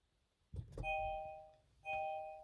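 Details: 2016-2021 Kia Sportage, after replacing the in-car chime speaker and refitting the dash grille and light sensor: two clean, clear dings in a quiet cabin, each ringing out evenly. Normal door chime.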